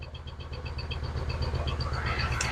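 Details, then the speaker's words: 2007 Honda CR-V with code P0304, stalling while driving after AC compressor replacement and several modules: petrol engine idling unevenly, stumbling and skipping like a misfire; check engine light flashing, running lean, about 13 volts. "all right so let check Eng light this still on and flashing and all the lights is on and the engine running rough"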